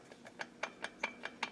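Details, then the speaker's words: Chainsaw engine turned slowly by hand gives sharp, dry, scratchy clicks about five a second, showing internal damage. The owner suspects the wrist pin or rod bearing failed, with bearing fragments stuck near the piston. Exact cause unknown. "And hear it on the inside? It's kind of scratchy on the inside. So something's been damaged on the inside."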